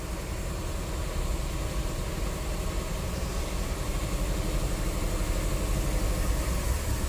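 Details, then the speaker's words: 1985 Cadillac DeVille 4.9L with no-power complaint, stalling and rough idle, many parts already replaced: low, rough, choked idle that barely picks up with light throttle while MAP voltage drops; owner suspects restricted exhaust. "i think our exhaust is restricted see that look at our map with just a little bit of throttle you hear how it's sounding too"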